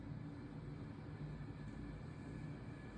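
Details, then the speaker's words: EV electric powertrain demo motor under dSPACE voltage-per-hertz control, with speed following supply frequency and voltage being raised: faint steady electrical hum with a low tone and a thin high whine, unloaded and smooth; normal run-up. "So basically, as in simulation, the speed is depend on the frequency. Changing the frequency, but this is an overload control. So changing the frequency will change basically the speed."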